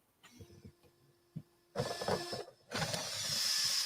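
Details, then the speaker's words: Vanquish VS4-10 RC crawler on 3S: after handling clicks, loud steady high-pitched ESC cooling fan hiss and whine; plainly noisy, could be turned down in ESC settings. "oh yeah now i can hear it that is pretty noisy ah be nice if you go in the esc and turn it down to lower speed"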